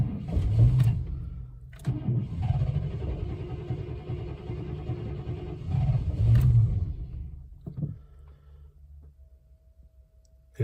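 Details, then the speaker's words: 1998 Chevrolet C1500 Silverado after key resync with GM security system: starter cranks in long bursts with a few stumbling catches but never runs; crank no-start, owner suspects it needs a fuel pump, battery running low. "Oh, nearly sounds like it wants to go."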